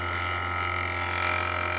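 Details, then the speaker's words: Wood lathe turning a raised winged bowl: buzzy, fluttering tool chatter from pressing too hard on the bevel (rub). A larger cutter and a bigger wing were found to give less chatter. "And if you notice, I'm getting a little chatter there. That's because I'm pressing a little too hard on the rub."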